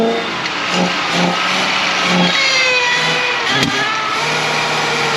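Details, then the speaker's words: 1977 Mercury Grand Marquis, parked 10+ years, getting fuel and spark: engine surges and sags with throttle blips, won't idle and only runs when revved; owner suspects carburetor sucking up debris. "I'm not trying to rev it up but can't get it to idle so"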